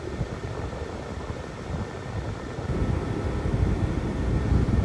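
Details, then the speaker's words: 1995-99 Nissan Maxima after accumulator/receiver drier replacement, AC on cold: steady rushing blower airflow with a low rumble that builds slightly midway; vents blowing about 53 down to 51 degrees with roughly 50-degree outside air, normal. "So we're gonna start her up so y'all can actually see that it's actually blowing cold. Okay. So you can hear the air."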